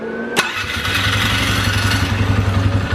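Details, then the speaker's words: 2012 Polaris Sportsman 400 HO carbureted ATV after carb cleaning, idle set near 1400 rpm: short harsh starter grind while cranking, then engine catches and settles into an even idle; starter grinds on these, cause unknown, seen as a Polaris trait. "listen to that I don't know why it grinds the starters on these it does it on both it's a Polaris thing"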